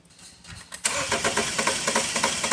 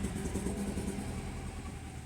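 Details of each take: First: 2012 BMW 528 with the N20 four-cylinder, towed in with misfires on cylinders 1 and 3, cranking with injectors unplugged for a relative compression test: the starter spins evenly at about three pulses a second, and all cylinders, including 1 and 3, read about the same. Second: 2012 BMW 528 with N20 four-cylinder, towed in for drive malfunction errors and rough running, coils scoped: idles normally then stumbles with an uneven lumpy rumble from a misfire.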